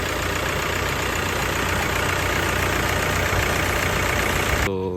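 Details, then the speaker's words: Toyota Hilux diesel idling after a full overhaul and several hours of running-in, now starting easily after it previously would not start; steady, even clatter with no misses or heavy knock; idling healthily. "Alhamdulillah sudah bisa hidup. Kita coba tes hidupkan lagi teman-teman untuk Toyota Hux. Ini mesinnya sudah mudah hidupnya ya."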